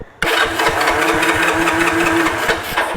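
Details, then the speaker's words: 1986 Honda TRX 125 ATV with airbox off, choked, cranking: steady starter cranking about two and a half turns a second, no firing; carburetor contaminated with gunk from the tank, possibly water. "Something from the tank that was in there before. Water in it. Something. So, it's picking that up. That's why it's not firing up. It's just got some nasty nasty in there."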